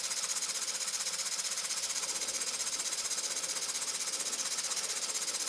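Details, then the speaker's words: Muncaster table steam engine, 1-inch bore, just over 1-inch stroke, on a gas-fired 3-inch boiler near 60 psi, perhaps about 300 rpm: rapid, even hissing chuff picking up speed as boiler pressure recovers; normal running. "You can probably see now that the boiler gauge is getting back towards 60 and the engine is again picking up. Still steadily picking up speed, as you can hear."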